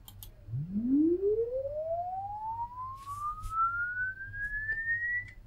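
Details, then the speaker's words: LD Zone 622 two-zone rack mixer, channel three, whose LED is permanently on (suspected fault): clean rising sweep tone from an online generator, no dropouts or distortion; output works normally. "So although the LED is on permanently, which I'm sure represents some sort of fault, [Music] the output works."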